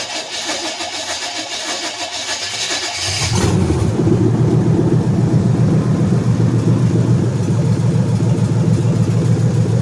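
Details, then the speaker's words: Monte Carlo V8, loud exhaust awaiting headers: cranks and catches near three and a half seconds, then a loud, deep, even idle with steady pulses; healthy start and idle. "I don't know if I've shown this car running or not. May or may not start. It's pretty loud, so I can't run it long."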